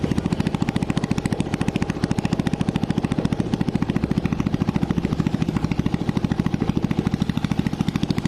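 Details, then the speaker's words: Honda Blade after cylinder boring and head reassembly, first start with exhaust removed (oily muffler left off to avoid smoke): crisp, even popping beat about 3.5 per second, steady, no knocks or rattles; smooth normal idle, smoking fixed. "Saya jamin 100% tidak ngebul sembuh ya kita coba Nyalakan Hai mesin pun suaranya lembut"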